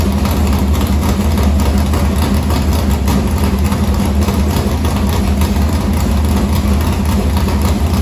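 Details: Morgan Machine-built V8 race motor (about 358), EQ heads, likely an Edelbrock Victor Jr two-barrel intake, 85 carburetor, started after sitting a week and a half with fuel line unhooked: deep lumpy idle, firm even rumble, no ticks or misfires; normal.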